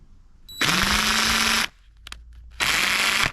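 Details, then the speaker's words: Cordless impact driver only a couple of years old; two trigger pulls, motor spools up with harsh gritty grinding over the whine as something inside breaks; grinding noise. "this thing's breaking. It's not even that old. Hear that grinding noise in"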